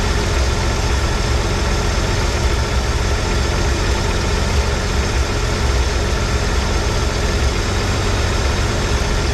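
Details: 1983 Ford F150 300 inline-six after the Carter YFA one-barrel carb fix, choke off, idle dropped slightly but maybe still fast for a manual: steady low drone with even firing and faint unsteadiness, air cleaner off. Normal idle.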